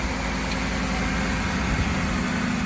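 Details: 2006 Ford F150 idling in cold weather after its dry, grinding idler pulley bearing (hidden under the air intake) was replaced with a greased junkyard pulley: a steady, even low rumble with no grinding or scraping from the belt drive.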